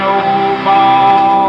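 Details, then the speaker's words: 1940s GE X-181 tube radio, speaker replaced with one from an RCA XL-100 TV: loud music, harsh thin boxy tone like a cheap AM set while the cut negative-feedback lead is held open, giving more gain but worse sound; intermittent connection being repaired. "See, right here, this lead had been cut, and when these two terminals get open, there's no negative feedback. There's more gain, but it's more of the sound isn't as good."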